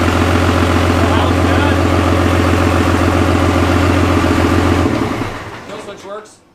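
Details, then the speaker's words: Cummins diesel swapped into a Jeep YJ, first start-up: steady, even low diesel thrum at idle about four beats a second, briefly choppy at first, then winds down at shutoff; healthy normal idle. "Nice. That is. Sounds good. Had me a little concerned at first. It was a little choppy sounding, but they sound so funky pulling intake air too."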